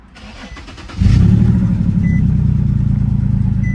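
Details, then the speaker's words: Infiniti G37 with service light on, cap found missing under hood: cranks, catches, then idles with a slightly uneven, lumpy pulse; rough-running misfire, cause unknown. "Like I said, it got a little misfire to it. It sounds a little rough, but hey, we going to get the job done, y'all."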